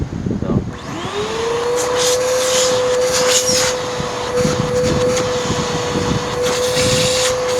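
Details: Restored waterlogged curb-find Bissell Powerforce Helix vacuum reassembled with hose back on, motor spinning up quickly to a steady even whine without surging or rubbing; runs normally, no appreciable harm from water.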